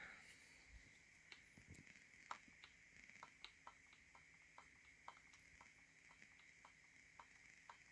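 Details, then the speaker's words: Game controller left trigger, mushy and feels different from the right: quiet creaky clicks about two per second, always squeaking with a springy sound; cause unclear. "the problem with the left trigger. It's always squeaking, making like a springy sound."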